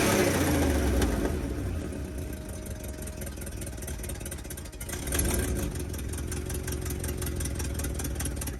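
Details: 1980 International Scout II with a formerly seized engine, now running and burning off crud and diesel from the cylinders: catches and settles to a steady, even idle, picking up cleanly on throttle blips; sounds healthy, though it still needs a carburetor.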